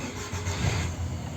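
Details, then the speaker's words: Chery Amulet 1.6 after replacing fuel filter and a rotten main relay: engine catches right away into smooth, even idle with no stumbling; fuel pump working, clean start. "машина запускається бензонасос працює Все в порядку"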